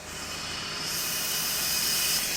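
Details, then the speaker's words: 2001 Honda Accord four-cylinder daily driver with a failed exhaust manifold gasket: sharp airy hiss swells as revs climb, sounding like turbo spool on a non-turbo engine; the blown manifold gasket is being replaced. "sounds like it's [ __ ] spoing it's not even turboed I hope that video did it some justice but they never do if your car is not turboed and it starts to sound like it has a turbo get it looked at it's not good"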